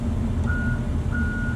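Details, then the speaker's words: Truck under electrical diagnosis, with power applied after ground checks: two steady, evenly spaced high beeps of about half a second over a low truck rumble. The reverse alarm is sounding, and the ignition switch wiring is to be checked. "that's a listen to that that's the reverse alarm"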